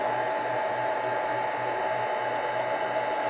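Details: G0602 lathe CNC conversion enclosure with the VFD off and the DC drive switched on, relays clicking: smooth, constant whir with a thin steady tone and no rattle or wobble; the drive's cooling fan is running normally.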